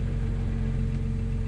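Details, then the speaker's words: Idle at 900 rpm in a BMW E90 335i with N54 turbo engine, converted from automatic to manual with a single-mass flywheel, newly broken-in clutch; steady even hum with faint gearbox chatter, normal. "if you listen carefully here's the sound of the single mass flywheel with a 900 rpm idle"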